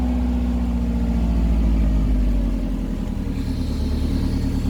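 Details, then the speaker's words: 1996 Subaru Forester S/TB, first start, up on stands, some oil drained from overfull: smooth, even idle with steady low hum, no knock or misfire heard; engine seems healthy, compression not tested. "But yeah, we've got it running. It sounds sweet."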